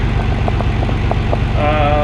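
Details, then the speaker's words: Nissan 300ZX Twin Turbo cold idle in warm-up open-loop mode, just after replacing a damaged rear-cylinder ignition coil: a steady, even low thrum with no misses; it now idles noticeably smoother. "warm-up open loop mode, but yeah, I mean if there was, I mean it definitely feels smoother."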